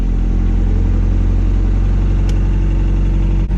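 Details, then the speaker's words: Cold start after replacing cam seals and timing on the hatch, valve cover reinstalled: idle a little high, minor rattling, steady even fast idle with deep drone, no misfires or knocks, no leaks; normal cold start. "Oh, she's a little up there, but it's a cold start. Let her warm up. See where the idle's at. Don't mind the rattling. Sounds good."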